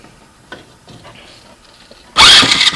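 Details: Water-seized 70cc Chinese ATV engine, first start with new starter and carb, choke closed, portable CDI box; faint clicks then catches at once into a crisp even buzz, no knocks, no oil drips; normal running.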